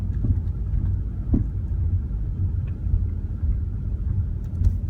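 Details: BMW E34 with sudden intermittent clunking: low rumbling run with a few separate sharp knocks a second or more apart, no steady rhythm; clunking noise.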